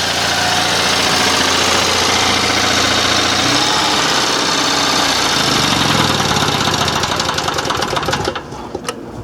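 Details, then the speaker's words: Revived Onan 305 CCK 3,500-watt generator: steady, even mid-pitched drone with a fast light patter and no knocks or misses; idling smoothly and quieter. "right that's quieter so until I get my next project I'm gonna call this one good it's it's amazing this is a 3,500 watt"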